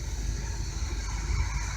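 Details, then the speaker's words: 1985/86 Chevy 454 RV engine after new plug wires, spark plugs and alternator belt: deep, steady V8 rumble at about 750–800 rpm idle, slightly high, vacuum near 20–21 inches, no misses; running smooth, normal idle. "a meanwhile vacuum line stuff set up all the new plug wires she sounds like she's running a bit smooth"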